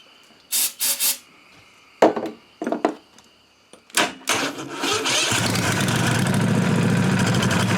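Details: Briggs & Stratton Vanguard 16HP engine, unstarted for a year or two, after freeing a fuel-solenoid plunger gummed by old gas and wiring the solenoid: a few short cranking bursts, then it catches and settles into a steady, even run.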